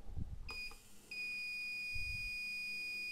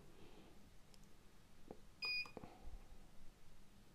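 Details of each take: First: Insulation test with a UNI-T UT501A insulation tester on a heater element: at 100 V no fault showed, but at 250 V the tester beeps steadily, showing a dead short with zero resistance and a breakdown; the heater element is dead. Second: UNI-T UT501A insulation tester beeps during a motor winding insulation test: one lead on the housing, one on the winding, bypassing the control board. At 250 V it reads 5.5 GΩ and is rechecked at 500 V; insulation good, so the board is suspected as the fault.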